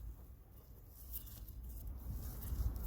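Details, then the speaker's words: 2014 Jeep Patriot rear wheel bearing replacement: new Timken bearing spun by hand turns free and smooth with only faint low rumble, unlike the grinding old bearing; confirms rear bearing was the hum. "don't hear any of that noise that's Ben's nice and free it's smooth no noise whatsoever"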